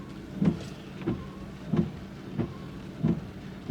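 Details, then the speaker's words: Windscreen wipers run through an Xtool A30M OBD2 scanner actuation test: six even sweeps, about one every 0.65 seconds, each with a soft motor hum and thump; wiper motor working normally. "Vi har ju då torkar bladen här. Ska vi kunna köra med hjälp av den här."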